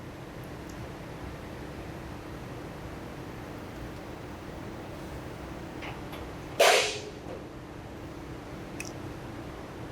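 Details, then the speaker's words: Braun wheelchair lift (800 lb capacity) on a Winnebago accessibility RV, deploying: quiet steady hydraulic hum, then one sharp bang as the outer barrier hits the ground fully. Normal barrier deployment bang. "That audible bang is just the outer barrier hitting the ground fully."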